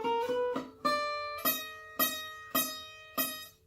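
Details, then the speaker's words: Recording King Dirty 30s acoustic guitar with one fret seated too low: plucked notes, the first few cut off short as the low fret chokes the note, before leveling and recrowning the frets. "So you can tell it's just one low fret, but it's very obvious when you hit that note."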